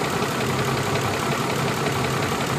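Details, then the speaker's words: High-mileage, neglected Ford F-150 5.4L 3V Triton at idle after a first Motor Medic engine flush: a light, quick top-end tapping rides steadily over the engine note, unchanged by the flush; owner suspects the lifters. "It still got the little tap. So I don't think it did much on reducing the tapping in the engine at all."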